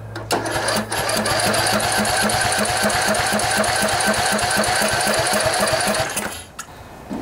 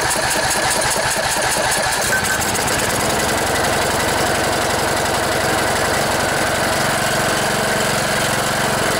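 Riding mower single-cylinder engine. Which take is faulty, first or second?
first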